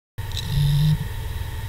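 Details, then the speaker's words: Hard disk after spin-up doing power-on self-checks: a soft, light, random buzz with no clicks or scraping as the heads move; normal healthy drive. "this sound is normal and should be pretty quiet and random in nature essentially it is the sound of the hard disk head moving"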